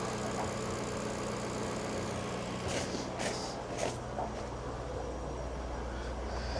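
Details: Jaguar XK8 finally runs on its own after swapping fuel pump relay, suspected one-way return valve; low, slightly uneven beat with faint wavering rhythm, rough idle just after starting, heavy exhaust smoke, fuel pressure a little under three.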